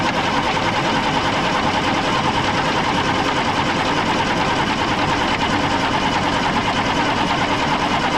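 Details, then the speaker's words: 1995 International 4700 dump truck, DT466 diesel starved of fuel during tank leak repair, filters refilled: steady starter cranking about three turns a second with no firing; crank no start, fuel system not primed. "So let's crank it a little while and see what that does. No idea if that'll pick up its own fuel and build up pressure or what."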